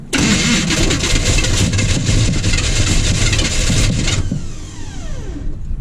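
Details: 1980 Chevy K30 small-block 350, first start attempt with return line plugged and no real fuel added yet, in a blizzard; strong even cranking about four seconds, roughly three compressions a second, never fires; cranks but will not start.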